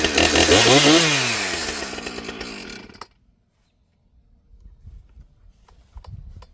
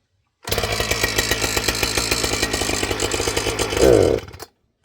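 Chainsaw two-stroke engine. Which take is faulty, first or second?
second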